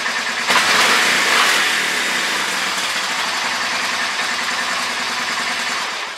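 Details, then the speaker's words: Honda Fourtrax 300 ATV after fuel repair (new gas line, clean filters, new gas): brief crank, then a steady, even single-cylinder idle with no knocks or misses. Normal idle; old water-contaminated gas was the main culprit. "new gas line clean filters new gas in the tank though honda's running good"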